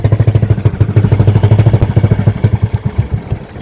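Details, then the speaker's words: Engine misfiring; someone suspected no fuel, but the tank is full, so the cause is unknown; an uneven pulsing beat with dropped, stumbling firing pulses that lose rhythm as it slows. "May problema ng konti at namamalya. namamal ng bahagya at hindi lang bahagya talagang namamalya"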